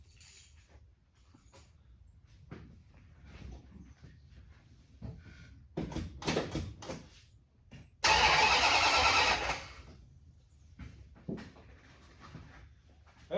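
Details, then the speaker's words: 1969 Dodge Super Bee 440 Six Pack that only clicked and would not start; the battery turned out to be the cause, not the starter. A sharp burst of cranking catches and fires for a second or two. Normal cranking and start. "the sound i was looking for it was battery after all"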